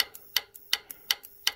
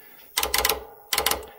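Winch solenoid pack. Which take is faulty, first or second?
first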